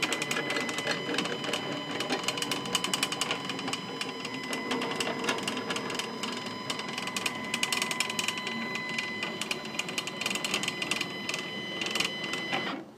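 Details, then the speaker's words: Stepcraft 840 CNC during X/Y/Z travel setup, after snugging fasteners: a buzzing whine with a fast, uneven rattle of clicks, about three or four a second, through the move. Axis travel is rough, cause unclear. "that sounds like I got some sounds like I got some issues"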